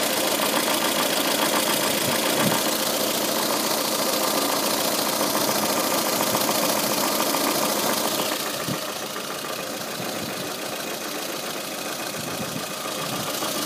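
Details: Even ticking, about 3.5 per second, at steady idle from the timing belt cover side of a VAZ 2114 engine; the cause turned out to be excess camshaft axial end play.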